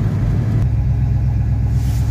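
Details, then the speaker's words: 1971 Oldsmobile Cutlass 350 convertible V8, warm, on a test drive in all four gears at just over 40 mph; tach reads 3200, probably inaccurate. Deep, steady rumble with an even beat and no knocks, misses or ticks. Runs well, normal warm running. "doesn't sound like we're anywhere near that high does it probably gonna need to be calibrated get that turn signal to the right for me sworn allegiance evil castle the way back so mean horn car seems to run good"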